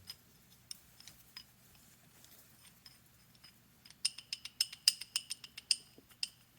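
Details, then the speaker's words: Monarch 10EE lathe refurb: sharp, tinny metal clicks in a quick loose burst as the old leadscrew nut is rocked at the end of the leadscrew, showing a lot of slop; slop is the same anywhere, so the screw is good and the nut worn. "that's quite a bit of slop and if you notice i'm at the end of the lead screw"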